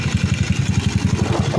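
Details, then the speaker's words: Yamaha Cygnus 170cc with a reset 4V head (59). At idle, the loose bendix kit in the CVT chatters in a quick, regular rattle of about eight beats a second, while the head itself is now quiet. "So yung kanyang mga Bendix kit is maluluwag na. Ayan, tumutunog sila."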